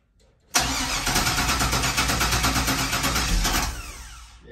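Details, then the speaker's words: LS 5.3-swapped Chevrolet Nova with electronic Holley injection, cold start in a snow blizzard, not run in a while, little fuel in the tank: about three seconds of fast cranking with no firing. Extended cranking, no start. "it's cold yeah that's a cold start right there go ahead keep going yeah it's cold that's all right"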